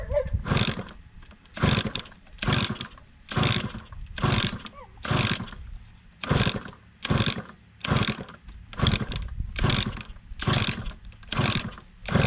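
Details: 1988 Kawasaki KX80 two-stroke, first start attempt in 15 years after a new piston and refitted cylinder head: repeated kick-over bursts about once a second, coughs and roars briefly but never catches; the engine is flooded.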